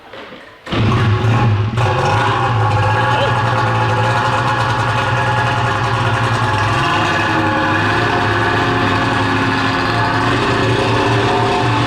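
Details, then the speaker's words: 13-year-old race two-stroke snowmobile, just pull-started cold: fires then runs ragged and uneven at low revs, nitro-RC-like, stumbling; bogging down low, unsure if just too cold; owner suspects power valve sticking once warmed up. "is it just too cold or is it bogging let do that let's keep bogging out that's it huh interesting man I think sounds nasty she sounds gnarly sounds like a Nitro RC car it's not a happy camper yeah I hear it down low it's not happy"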